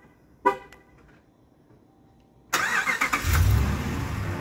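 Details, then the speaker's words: 2012 Ram 1500 with an aftermarket key fob programmed through OBD2 using a Simple Key kit: a short horn chirp, a pause, then the engine cranks and catches into a steady idle. Normal remote start. "without using the buttons i was able to also reprogram that one and as you can see the remote start on this one actually works"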